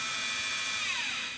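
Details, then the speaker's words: Quantum LTO-4 tape drive in a server rebuilt on an Aaeon EMB-B75A board with an Intel i3 3220, during a partial restore. A high, steady whir sags and winds down after about a second as the drive stalls mid-file. The owner wonders whether it is a data flow issue or the drive itself. "now when i did this before the tape drive felt like it tripped up a lot during the recovery process and sometimes i wonder if that's a data flow issue"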